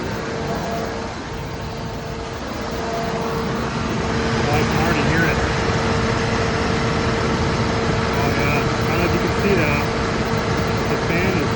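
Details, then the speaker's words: 2007 Dodge Ram 1500 after AC repair, engine idling in the driveway: steady, even whir over a smooth idle, no rattles or squeals. Condenser fan now turning (it had stopped, so the AC warmed whenever the truck stopped) and the AC compressor runs normally. "So, everything's working as it should. AC pump's running."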